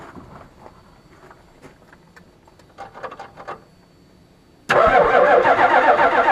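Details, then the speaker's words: 1985 6.9 IDI turbo diesel truck, sat for years: starter spins engine hard at about four beats a second without firing; cranks, no start, fuel reaching the line, owner suspects air in fuel. "all right so I cranked it over a little bit you can see I got fuel at this line"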